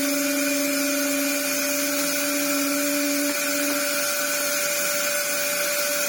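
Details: Restored Dyson DC07 Clic after reseating the filter seal: steady motor whine with a faint airy hiss, much smoother now. A slight leak possibly remains at the broken filter seal.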